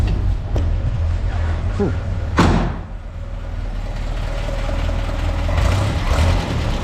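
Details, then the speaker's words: 1967 Land Rover Series 2A just converted from a Solex to a Zenith carburettor, linkage not yet fully fitted. Low steady running broken by a few sharp irregular pops: backfiring, cause still unknown. "That sounds pretty nice. I don't know. I got to find out about that backfiring there. So, I'll work out what's going on with this backfiring."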